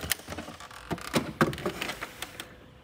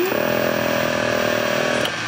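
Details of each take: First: 1981 Lectra Motors Lectra 2+2 electric car (Datsun 310/Pulsar body), junkyard find unused about 20 years; controller jumpered on, 50 V supplied, throttle moved: scattered dry relay clicks and a brief electrical buzz, motor not turning; controller function uncertain. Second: 1981 Lectra Motors Lectra 2+2 electric car, junkyard rescue probably not driven in over 20 years, in neutral with throttle applied: steady high whine of the drive motor spinning freely, now running after an earlier failed attempt; owner suspects it previously lacked enough voltage.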